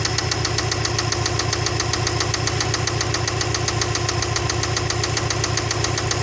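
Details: Subaru EJ206 engine: sharp, evenly spaced knocking about four times a second over a steady idle, a clear internal engine knock whose cause is unidentified.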